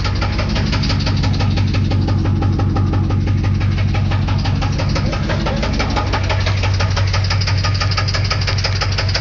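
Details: 350 TPI V8 at idle: loud, steady heavy internal knock about three times a second over a deep rumble, heard more on one side; cause not identified.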